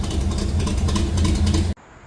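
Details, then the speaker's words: A-Team van, 305 small-block V8 on stock-ratio rockers, before fitting 1.6 exhaust rockers: steady, even idle with a smooth low burble, no knocks or misses before cutting off; healthy, owner wants it more radical. "So, that's what we got right now. This sounds okay, but I'd like it to sound a little bit more radical."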